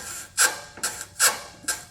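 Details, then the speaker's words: Front passenger lower control arm on a 2004 Lexus GX470 with 216,000 miles, levered with a pry bar: repeated dry, raspy creaks about two a second; bushings completely shot, causing front squeaking. "There should be zero play if you apply just medium power on that pry bar. However, these are completely shot, even a little bit."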